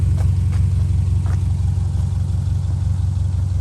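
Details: 2002 Subaru Outback Legacy GT, 2.5 SOHC, manual, after new engine swap; steady low even idle with smooth regular pulse, no knocking or ticking; normal healthy idle.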